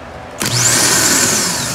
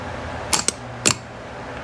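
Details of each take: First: Car starter motor tested on its own: a click, then a strong high-pitched whine that spins up quickly and holds steady, a normal free spin; in the car it makes a clack and only throws the bendix without spinning, so the starter is suspected as failing. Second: Car starter tested: a few sharp metallic clacks a fraction of a second apart, no spinning after — solenoid powers the bendix but starter motor won't spin, car won't start even with jump start; starter failing, needs repair.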